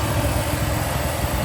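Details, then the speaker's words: Nissan 350Z drift car at warm idle with the fans on: a loud, rough idle with a ragged, puffing low rumble. Exhaust leak; the gauge reads 0 oil pressure, but the engine otherwise seems fine. "Got the fans on. You can hear the exhaust leak."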